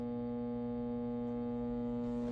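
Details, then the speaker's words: Dynakit Stereo 70 tube amp with hum issues, possibly needing new caps: loud steady low mains-pitched buzz with no music, left channel buzzing while sound comes from the right; amplifier hum, cause not found. "So, sound is coming out of the right channel, but the left channel just started buzzing like crazy."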